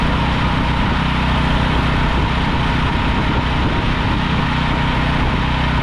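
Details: Briggs & Stratton 5,000-watt generator that sat unused in a field for a long time, revived after a carb cleaning; the only faults were a broken pull start and low oil. Steady, even drone at constant speed with no misses, knocks or surging. Runs healthy.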